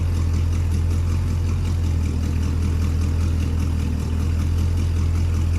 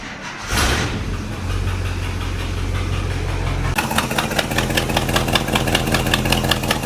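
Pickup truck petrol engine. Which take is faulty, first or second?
second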